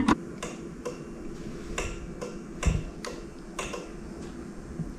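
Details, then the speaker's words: Old powerchair with deeply discharged MK batteries (about 2.6 V) connected to Victron 24 V charger: sharp uneven relay clicks about every half second, cycling on and off; suspected charger seeing a short, charger shut off. "the chair blinked on once oh I don't know if you could hear that it was clicking on and off I think the charger might see it as a short circuit actually yeah the charger is now off"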